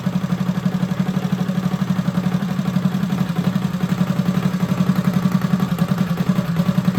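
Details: Freshly rebuilt Predator 212 on a Motovox minibike, new billet parts, rod and cam, broken in by revving and idling: smooth even single-cylinder putter at steady low idle, about four beats a second, no knocks or ticks.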